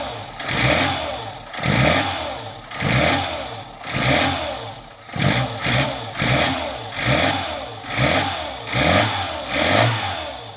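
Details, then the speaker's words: Lancia A112 Abarth 1050cc engine with long-standing dieseling-like noise: uneven idle with rattly knock swelling about once a second; owner suspects excessive distributor movement; knocking at idle. "I'm pretty sure that you could hear that. So now we're going to try to take out the distributor and try to find out what is making it move that much about."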